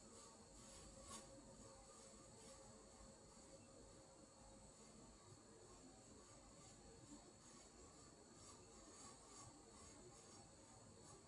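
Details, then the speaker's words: Ceiling fan after oiling the motor bearings with 30-weight motor oil runs quieter with smooth soft whir, but a faint steady electrical motor buzz remains. "Hallelujah, got quieter. But you can hear the buzzing noise that was driving me nuts."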